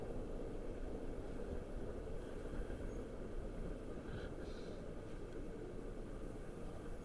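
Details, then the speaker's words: Panasonic F-56ML2 ceiling fan, over a year after installation, on a higher speed setting: steady even rush of moving air with a low hum; no bearing noise heard here, though some bearing noise and slight wobble at other speeds. "and I'm not I'm not actually hearing the bearings"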